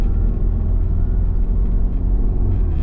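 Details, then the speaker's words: MINI Cooper after a shift linkage adjustment and adaptation reset, on a road test: steady low engine rumble under load with no flare or surge through the 3-4 shift; fourth previously flared almost to neutral, now fixed. Normal 3-4 upshift. "but remember when I hit fourth before it would flare up way way it's almost going to neutral got her fixed"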